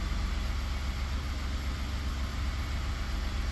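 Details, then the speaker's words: 2019 Ford F150 3.5 V6 with a P0304 cylinder 4 misfire, running on direct injection only: smooth, even idle with no skips, while port injection only runs terribly, pointing to the cylinder 4 port injector. "Oh, there, finally it cleared out. So we're on direct injection only and it's running good."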